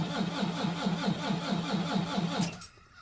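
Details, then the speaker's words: Volvo VNL D13 diesel truck, cold at about -10°C outside, oil -14°C, battery 11.6 V: steady starter cranking at about two compressions a second with no firing; hard, long-crank start, owner suspects injectors. "yeah so that's that's what I was um explaining to you guys earlier the art start or the long start or whatever we want to call it that's exactly what I was talking about"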